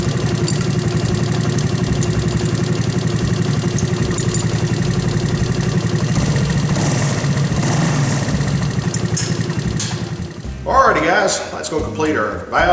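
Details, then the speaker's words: 1984 Honda ATC200S idling during cam chain adjustment: fast light clatter over the single-cylinder beat with the tensioner broken loose, fading near the end as it is pulled up; cam chain rattle. "you'll hear that camchain when I break it Loose uh you'll hear that camchain making a little bit of noise"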